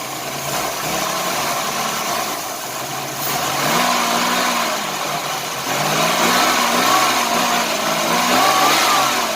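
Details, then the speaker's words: 1990 Chevrolet Lumina Eurosport 3.1 V6, first start after sitting, with fresh gas and fuel treatment and a slight vacuum leak noted: an uneven, stumbling idle with loose exhaust puffs, a misfire that starts improving. "definitely misfiring that's interesting"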